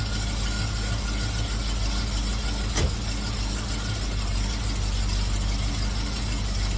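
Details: Cutlass V8 after fitting MSD 8225 HEI coil, MSD 83647 module, Moroso Ultra 40 wires and ACDelco R44LTS plugs to cure long-running misfire: steady, even low idle, no misses, knocks or loping, with timing set close, carburetor circuit adjusted, vacuum mid-range.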